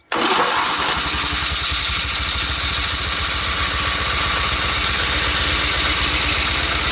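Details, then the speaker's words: 1983 John Deere 116 Hydrostatic lawn tractor with electric fuel pump, started on a jump pack because the battery is dead: catches at once and settles into a steady even beat with no misses or knocks; normal start and run. "that all seems to work because, like I say, the tractor runs good."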